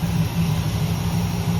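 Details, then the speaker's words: 1968 Chevelle V8 after broken pushrod repair, engine flush treatment running before an oil change: smooth, deep, even idle with no ticking or knocking; running quiet and healthy. "Take two. Running quiet, isn't it?"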